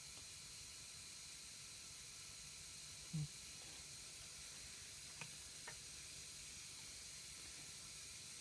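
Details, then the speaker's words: Air compressor converted to silent running, pressure switch spring tightened, charging to about 60 then unloading: quiet steady hiss with faint clicks over a silent motor as air leaks out past the unloader valve. "basically wit with this with this on moda valve here you can hear the air leak out"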